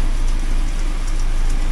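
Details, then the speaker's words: 1979 Porsche 924 with Type Z 5-speed and new motor mounts, warming up with spilled fluid smoking off the exhaust, water temperatures about 53-63°: a deep, even four-cylinder rumble with no knocks or shakes. Normal idle. "But look at that, that's uh the motor is happy to be sitting right. Thing warms right up, okay."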